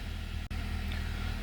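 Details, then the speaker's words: 2012 Honda Accord 2.4L, cold idle just after start, check engine light flashing at times, codes P0302, P0303 and P0300: a low, uneven stumbling beat; the mechanic suspects a crank position sensor relearn is needed. "cylinder 2 and 3 misfire and it has a p03 00 which is the multiple cylinder misfire"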